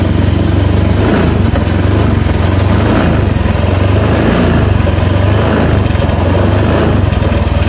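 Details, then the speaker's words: Honda Vario 125 (Techno, bulb type), cold engine: loud idle wavers and stumbles unevenly; owner says it stalls and won't pull uphill when cold but is normal when hot; fuel pressure good, cause not yet found. "Ini katanya khusus dingin aja seperti ini. Kalau dingin dia mati-matian, hidupnya mati-matian, terus mau nanjak ke atas tanjakan itu mendorong. Tapi kalau sudah panas katanya normal."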